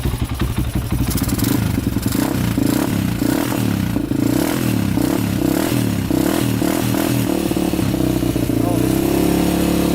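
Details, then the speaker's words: 2001 Honda 400EX quad, first start after new stator, choke on: single-cylinder thumps at a fast steady idle that never settles, smoking from the choke; throttle still hanging open, idle far too high. "the choke was on that's why yeah throttle's still really high still smoking too so yeah throttle's still really high"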